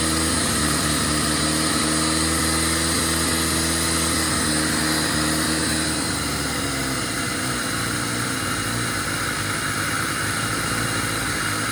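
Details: 1997 Jeep Wrangler TJ (2.5), idling after new throttle position sensor fitted (corroded plug): idle stays uneven with wavering beat and occasional stumbles, still missing; TPS did nothing, owner suspects injectors, IAC next.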